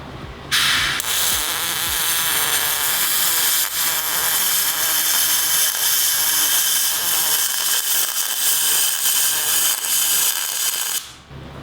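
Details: MIG welding aluminum with a spool gun, pulse off: a steady crackling hiss that sounds slightly harsher than it should. Arc with a slightly too-short stick-out; more stick-out was advised.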